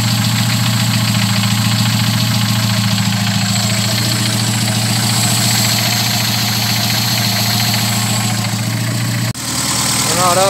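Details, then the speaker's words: VW G1 carburetted AP engine, after fixing low fuel pressure: steady, even idle with a smooth low hum and no stumble or miss; fuel pressure much better than before. "a dar una vuelta una vuelta que calentó el motor pero igual bastante mejor Está la presión de combustible Comparado como estaba cuando V"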